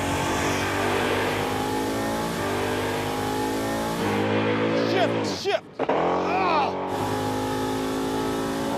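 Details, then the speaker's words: Roadkill Garage Crusher Impala drag pass: engine climbs hard at full throttle, driver lifts thinking it won't shift, brief stumble, then late 1-2 upshift; transmission shifts slower than expected, cause unclear, run 11.25. "What happened there? I lifted because I thought it wasn't shifting, and then it shifted. It takes longer to shift than I anticipated."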